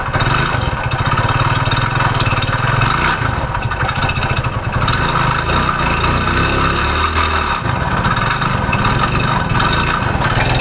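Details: Hero Splendor single-cylinder, before repair, that made a noise and stopped: dull, regular knock under the exhaust beat at every turn; mechanic suspects the crank, pointing to worn crank bearings.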